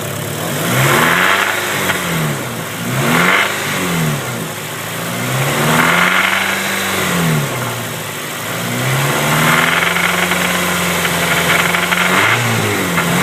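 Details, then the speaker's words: Honda EP3 petrol engine revving: brief metallic rattle appears only around 2,500 rpm, then fades. Owner suspects the rocker assembly; cause unconfirmed. "so this is the ep3 it's making a weird noise whenever i get about 2500 rpms"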